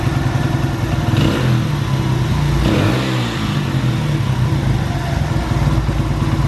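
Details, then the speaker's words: Honda XR100 single after hours of carburetor cleaning and tuning: revs up cleanly and drops back to a steady, even beat with no stumbling, popping or hesitation. Normal running. "good Run's good Mission success"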